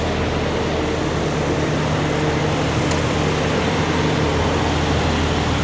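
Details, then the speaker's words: 2006 Ford Ranger 2.3L: smooth, even idle with a steady low hum and no knocks, ticks or misses, running healthy. "listen to a run runs like a sewing machine"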